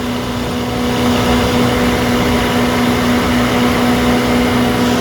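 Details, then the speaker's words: 20 kW backup generator after cleaning and new magnetic pickup sensor regulating fuel: even, unwavering hum, steady tone with no surging or hunting; engine holding speed properly, normal steady run. "well is Holden Holden standing that's a good sign"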